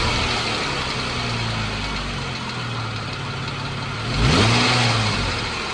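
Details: 2014 Jeep Wrangler 3.6 Pentastar engine idling with a light, fast ticking over the running noise and a rev blip partway through; owner asks whether it is rocker arm or valve tick, cause unconfirmed.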